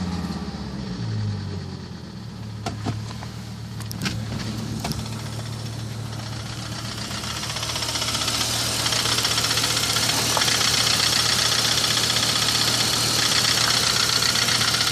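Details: Volvo S70 T5 five-cylinder petrol engine with a regular knock about four per second over a low hum; ticking got loud at 120 km/h on the highway, owner wondered about a lifter; rod knock suspected, not confirmed.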